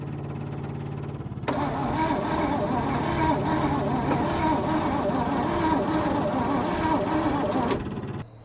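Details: 1966 Chevrolet truck not run since 1996, sitting decades, fuel pump powered for the start attempt: starter grinds the engine over a steady three turns a second with no firing; cranks but never catches, cause not confirmed.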